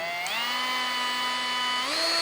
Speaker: This one doesn't have any noise at high RPM. You can change.